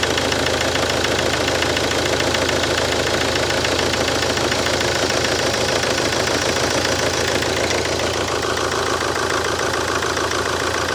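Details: Mercedes C-Class, first start after engine refit: engine holds a continuous even idle, a touch lumpy but clean with no knocks or misses, power steering whining; owner hopes lumpiness clears – normal idle.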